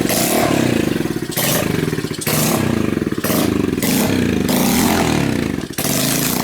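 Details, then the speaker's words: 1970s motorcycle found in the woods, fitted with a replacement engine, newly chained and rewired, just got spark: revs rise then abruptly cut out about once a second, clattering between; rough running with cut-outs, fault not found. "okay yeah there's definitely something wrong with it I don't know what to do"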